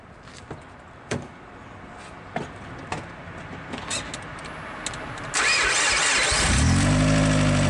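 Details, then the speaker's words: First startup of a car engine after all four rod bearings were replaced to cure rod knock on cylinder 1; cranks briefly, catches and settles into a smooth, even idle with no bottom-end knocking. Normal idle. "Look now, nothing. No rod knock at all. That's how you fix it, man, straight up."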